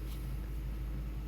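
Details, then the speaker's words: Ford F-150 V8 idling evenly after the IAC valve was swapped without a new gasket; the earlier air-drawing noise is gone and idle is settling down before warm-up: a steady, even low rumble with no ticking or whistling. "está nivelando y ya no hace ruido"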